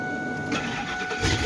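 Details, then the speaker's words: Ford F250 that previously wouldn't start even with a jump and sounded like grinding gears when cranking; after the connections were cleaned and tightened, a brief clean crank with no grinding, then it fires. Starter cranking normally. "Oh yeah, that sounds a lot better. That even sounds better starting. Oh yeah, that sounds much better. It didn't sound like that before."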